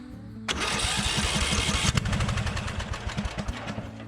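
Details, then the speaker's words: Lawn mower engine: repeated rapid cranking with irregular popping and sputtering that never catches; engine flooded, fuel turned off and air filter cover removed to dry out. "it's just very flooded okay i let it dry out a little bit taking the air filter cover off yeah this is very flooded"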